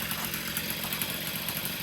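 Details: Honda Dio stunt-build two-stroke engine, first startups, with aftermarket intake, new carb and new top end, exhaust not yet changed: light, quick buzz at an even, steady idle with no hunting or misses.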